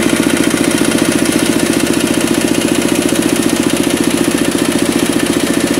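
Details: Kubota RD65DIS single-cylinder diesel after cylinder head service, exhaust fitted, driving a soil/clay grinder for brickmaking: quick, even beat with faint rough gritty rattle on each stroke; smoke gone, combustion fine, slight roughness from worn engine gears.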